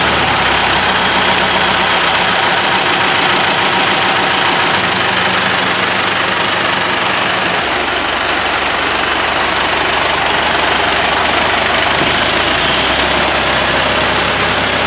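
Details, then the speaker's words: Classic Massey Ferguson 65 tractor diesel: steady, even clatter at about three beats a second with no misses or knocks; healthy engine settling into idle. "so the engine sounds and runs pretty well at the moment so we'll just start it up"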